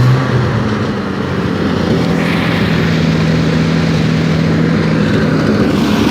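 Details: Torino TS engine during a tune-up: steady strong note picks up smoothly with throttle and settles back evenly, no knocks or misses; runs normally.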